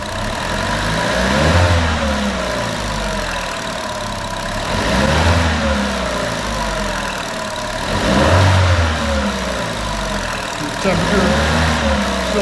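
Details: 2014 Chevy Cruze 1.4L turbo, first start after engine replacement on a near-90-degree day, still cold: even idle with a few blips that rise and settle cleanly, no knocks or misses. Normal idle; a noise is expected to fade once warm.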